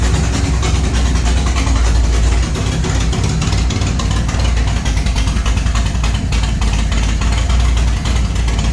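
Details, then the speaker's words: G-body Monte Carlo SS V8, first start after an under-hood fire, with parts replaced a week later; heavy, low burbling idle at an even, steady pace with no tapping or misses; healthy. "all right so all right everything looking good everything sounding good"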